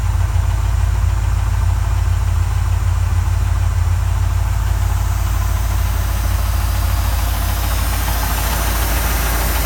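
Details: 1979 Mustang Ghia 5.0 V8, stored three years, at idle: steady fairly regular deep knock under the low idle; internal engine knock, cause undetermined.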